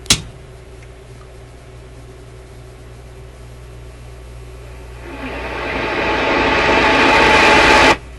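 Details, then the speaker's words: Grundig 2540 AM/FM/SW tube radio FM section: hiss swells for a few seconds while warming up, then the sound drops away abruptly; FM audio cuts out after warm-up, with the ECC85 (6AQ8) FM tube suspected and a bad capacitor possible. "I'm going to turn it on, just let it warm up. It seems to start operating and then it just shuts up."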